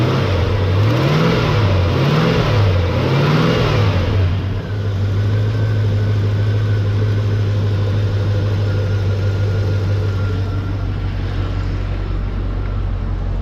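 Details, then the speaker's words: LT1 V8 Chevrolet Caprice 9C1 after new radiator hoses, water pump, Optispark, knock sensors and oil cooler line removal: three smooth quick revs rising and falling, then a steady even idle with no knocks or misses; normal idle and revving. "hey this thing sounds good it must be the green hoses yeah this thing sounds nice that sounded good"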